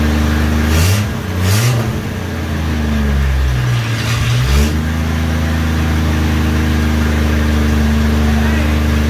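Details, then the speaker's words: 1963 Rambler with no muffler fitted, two throttle blips then a deep, booming, raw idle, a little smoky from oil and brake fluid on the exhaust manifold; loud exhaust from the missing muffler. "no muffler on it either but she's a little on the loud side but god just seems to be working at least one project's going right"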